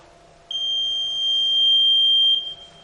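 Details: Electronic voting machine control unit during a mock poll, after two votes were cast: one steady, high-pitched beep lasting about two seconds, the normal confirmation tone when the total button is pressed.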